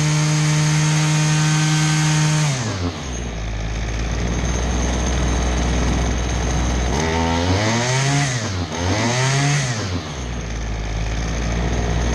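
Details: Husqvarna 223L string trimmer refired after a Zama carburetor rebuild: steady buzzing idle, then two clean rev blips rising and falling smoothly. Running fine.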